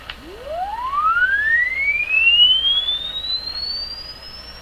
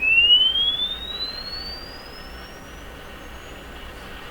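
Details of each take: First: Crosley 12B radio: a rising test tone reaches a thin, clear high whistle once the radio is detuned, showing the radio and speaker can reproduce treble but the alignment is cutting it. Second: Crosley 12B radio, Canadian, after restoration: pure sweep tone glides up and down evenly without wavering, dropouts or rattles, clean frequency response.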